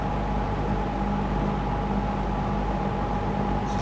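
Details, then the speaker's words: Lakewood P25 metal-blade box fan, basically new since bought around 2009-2010, first time in service in a window, on high: steady even rush of air with constant low motor hum, no ticking or scraping; moves a ton of air, normal running. "It just moves a ton of air."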